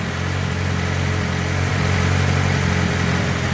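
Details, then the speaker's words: VAZ 2106 complete engine during break-in run before shipping to a customer, oil pressure and alternator charging checked: steady, even low rumble at idle with no knocks or extraneous noises; engine runs smoothly, normal idle. "Все, двигатель работает ровно, исправно. Посторонних стуков нету. Посторонних шумов нету, да."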